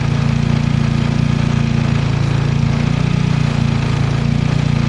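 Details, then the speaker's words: Turbo-swapped car with P0507 high idle code: steady raised idle that never dips; spraying brake cleaner on a vacuum T fitting causes a significant idle change, likely locating the vacuum leak behind the high idle. "That right there, I think, is a significant change in idle, my friend. I think that's our problem."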